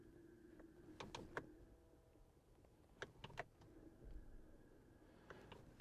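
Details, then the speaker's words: Jeep Wrangler 4xE plug-in hybrid on 35-inch tires, stationary in drive in electric mode: a faint, steady whir with a low hum, a thin higher tone and clunks. The owner suspects the motor is spinning gears in the transmission; it stops in park. "I think it's actually the motor spinning things in the transmission, because if you go to park, it shuts off, and then if you go to drive, you can hear these things spinning. The vehicle's not moving, but you can hear, like, the gears spinning."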